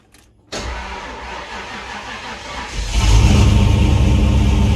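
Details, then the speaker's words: 1996 Mustang engine during an engine swap, reportedly pushing oil out of the dipstick tube (suspected bad ring), driven from the engine shop: catches instantly, smooth even idle, clean revs, no knocks or misses; sounds healthy. "I mean, it sounds good. I was told it was pushing oil out of the dipstick tube like it had a bad ring or something. it does run good."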